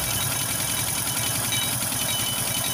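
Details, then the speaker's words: Motorstar Well 125 single-cylinder engine at idle, listened near the cylinder head: bright, tinny metallic clatter like a rattling can; timing chain okay, oil present; valve train clatter from oil starvation. "start natin banda dito sa may taas e Sa may cylinder mapansin niyo para may latang tumutunog"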